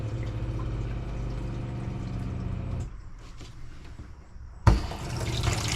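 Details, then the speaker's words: New RV Guard pressure-regulated water pump in a vintage camper, replacing a Sureflo with a broken regulator, after plumbing repairs: steady low drone with rushing water for about three seconds, then a clean cut-out; normal running under demand. "That's some good water pressure. And you hear the pump going."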